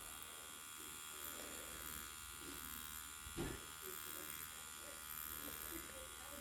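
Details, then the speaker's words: WOS E60 adjustable direct-drive wireless tattoo pen set at 6 volts, stroke 4, running: steady high-pitched electric buzz with even tone, no stutter or rattle; normal running. "Oh, wow. God damn, that's got the juice right there, boy."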